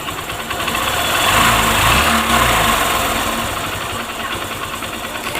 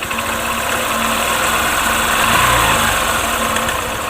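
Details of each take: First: Honda Shine single-cylinder after timing chain tensioner fix, previously intermittent tick-tick chain noise despite new timing chain: even idle with brief throttle blip, no chain rattle or knocking; noise now gone, normal idle. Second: Honda Shine motorcycle, single-cylinder, at idle with an intermittent, uneven light rattle of about three ticks a second, sometimes very loud. The timing chain was already replaced, and the chain tensioner isn't working.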